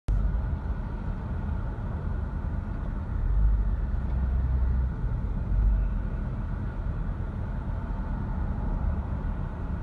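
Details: Mercedes M113 V8 idling: deep rumble that swells and dips a few times instead of holding a steady speed (hunting idle).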